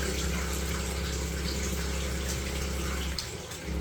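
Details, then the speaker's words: Noisy plumbing: steady low droning hum through the pipes over running water, briefly dropping out. Vibration stops whenever the leaking tap is opened, pointing to that tap as the cause; tap repaired rather than replaced. "The vibration stops every time I open the leaking tap. If you isolate the tap that you think is the problem and the issue stops, then it's more than likely the issue that you need to repair."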